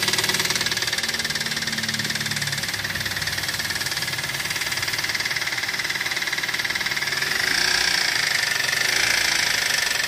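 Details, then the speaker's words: Toyota Avanza after driving through a flood: hard, sharp metallic knocking about three per second over a rough idle; a damaged connecting rod, engine needs overhaul. "Avanza ini ada terdengar suara kasar ya di mesinnya teman-teman Jadi ceritanya mobil ini habis terobos banjir katanya"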